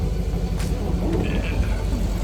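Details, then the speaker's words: 2002 Mastercraft boat, Indmar 5.7 L V8, idling after replacing the failed oil pump driveshaft: deep, steady rumble with an even beat, no knocks or clatter; oil pressure back from zero, idles healthy. "wonderful wonderful before it was showing zero the oil pressure alarm would go off so all was good"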